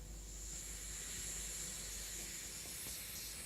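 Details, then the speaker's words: Roland XP-50 synthesizer output after shielding modification with foil soldered to the motherboard, volume raised: only clean, steady white-noise hiss, no hum, pulsing or whistle left, confirming the output noise fix. "и мы слышим только чистый белый шум никакого фона больше нет все чистенько никаких пульсаций только полезный сигнал"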